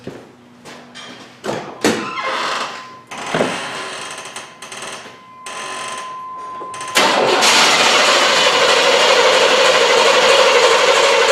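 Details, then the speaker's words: 1999 Chevrolet Tahoe, probably 5.7 V8, with high idle and misfire when warm (TPS, IAC motor and plugs already replaced): steady, even cranking about three beats a second with no uneven dips; compression sounds normal. "so let's just crank it have a listen to it we don't really have to do relative compression unless it sounds like we need to do it"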